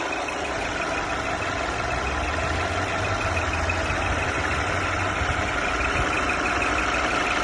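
A thin, steady high whistle sits over a smooth, quiet idle and doesn't change; something in the engine bay is whistling.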